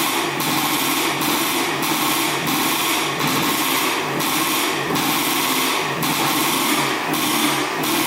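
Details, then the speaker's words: 1984 Yamaha IT200 two-stroke dirt bike, carburetor refitted and now getting fuel though leaking gas, big air leak suspected: high buzzy run surging in even pulses about every 0.7 seconds; engine running. "it is leaking gas a little bit but at least it's getting gas now so let's see if it starts up and idles"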